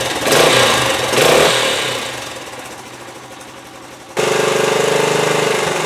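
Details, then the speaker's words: 1973 Honda TL 125 single-cylinder after carburetor rebuild for float-bowl overflow fuel leak; kick-start with choke half on catches with blips, dips, then settles to a steady even putter; sounds good for 50 years old, no leak overnight. "foreign foreign yeah that looks good that sounds good right there for 50 years old"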